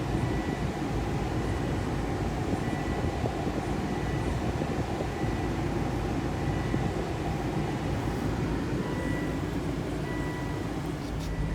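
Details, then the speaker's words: 2.5L turbo Volvo XC90 on a test drive after replacing the loose passenger-side sway bar lower end link: steady low road rumble from inside the cabin, no clunk; the suspension clunk is gone. "definitely made an improvement i haven't heard any clunk so sometimes it's not your shocks or struts but yeah check your sway bar unless"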